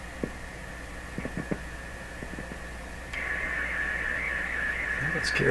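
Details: General Electric C600 radio after full capacitor replacement: quiet hiss with scattered clicks, then a steady high whistle near two kilohertz holds; IF stage oscillating, effect changes when touching chassis, fault suspected self-introduced, still being traced.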